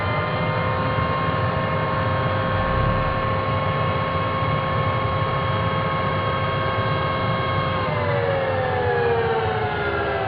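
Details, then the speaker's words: Dyson DC25 vacuum motor howling with a siren-like tone that wails and falls away as it slows. The bearings are completely worn out from long use. "so they ran this thing until the bearings completely utterly shot I mean nothing left of the bearings"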